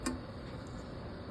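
One sharp snap from the sparker, then a steady gas hiss as the burner takes; the igniter is doing its job.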